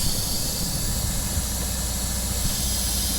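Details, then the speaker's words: Western Star tandem dump truck cab, other cab noise turned off: constant sharp hiss over low engine rumble. Air leaks from underneath, reportedly a tarp control valve, since the leak stops when the tarp is back; valve needs replacing. "the air leak in the cab is not a huge issue at all it's just been frustrating because we've been trying to get it fixed for so long it's coming from underneath here"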